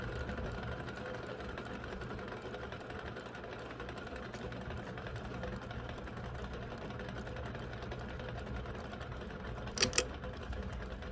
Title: A perfect example of very bad bearings